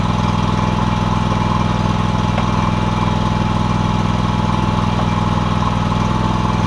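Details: John Deere X300 mower after a new deck belt and greased spindles. Deep, steady single-cylinder drone at constant speed, no surging, knocking or squealing: normal running.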